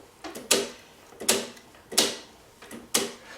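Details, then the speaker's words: 1984 Honda ATC three-wheeler, engine turned slowly by hand with the clutch weights removed: sharp, uneven clicking roughly every second; suspected loose cam chain slapping (chain slop), with the cam chain adjuster to be checked. "If the chain is too loose, it could slap around. Does that sound like a slapping to you? It could be some chain slop."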